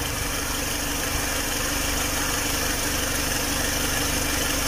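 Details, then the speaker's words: Opel Astra at warm idle after an engine adjustment and gearbox oil top-up, temperature gauge at mid-scale. Steady, even idle with the needle not oscillating, no misses or knocks, a fan whooshing and no check-engine light. "Vean la aguja no oscila. Quiera se mueve la aguja, no sila para nada, o sea, está parejito, no se nos ha prendido el check, nada, o sea, todo está funcionando perfectamente."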